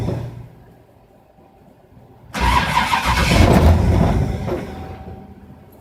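Starter churns for a few seconds at a steady rhythm, but the engine never catches or picks up; it cranks without starting.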